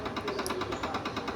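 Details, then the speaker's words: RO water purifier that began making noise after its last service: a fast, even rattling buzz at about eight pulses a second over the hum, from an internal valve. "Video check करने के बाद बहुत ज्यादा sound आ रहा है।"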